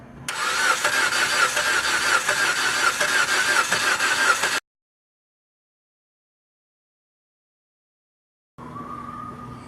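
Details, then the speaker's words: 2011 Jeep Compass, cranks but won't start: steady, even cranking for about four seconds without firing. Test light shows no spark and no power to the ignition coil or fuse 23, traced to an open in the ASD relay circuit. "customer came in the vehicle would not start it does crank so as you can see the vehicle does not start so thing I'm gonna go and check spark first see if I have any spark just have my test light hook up to battery negative and watch spark yep"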